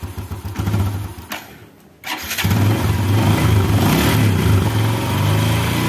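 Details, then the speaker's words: Starter spins briefly, then steady, even idle without clatter on a 2014 Yamaha Jupiter Z1 after cleaning the water-clogged crankcase breather hose; cold-engine kletek clatter gone, not from the clutch. "Oke halus ya teman-teman ya suara kletek-kletek ternyata suaranya yang ditimbulkan bukan dari sini bukan dari kopling ya malah dari selang ini"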